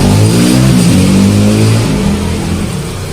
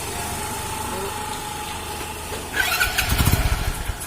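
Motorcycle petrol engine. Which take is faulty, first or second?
second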